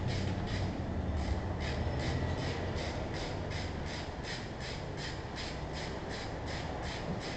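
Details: Range Rover engine: light, sharp ticks about three a second over a steady run, a top-end ticking noise whose cause is unknown.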